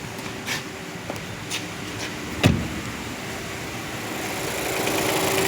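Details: Renault Duster 2023 1.3 turbo direct injection, 44,000 km, after replacing the faulty high-pressure fuel pump that caused engine noise: smooth, quiet idle with only a few light clicks, no hard ticking or rattle; engine sounds healthy.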